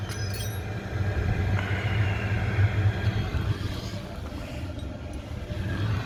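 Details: Oil boiler that kept locking out and sooting up, after adjusting the air so the combustion reading settled at 11.5. A deep, steady flame roar with an even rumble and no pulsing or popping; normal burner operation.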